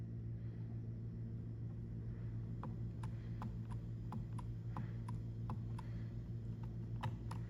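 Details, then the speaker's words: Furnace draft inducer motor: steady hum with sharp uneven ticks about twice a second, a dead bird inside the inducer housing striking the wheel, not the bearings. "So, as you guys can hear, I do have a dead bird in my draft inducer motor housing."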